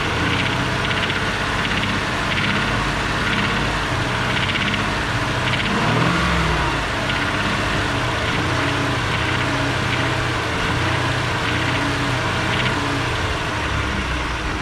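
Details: Ford 3.5 EcoBoost: steady engine hum with faint light knocking tick at a few beats a second, occurring only around 2000 rpm; owner unsure if rod knock, cause unconfirmed.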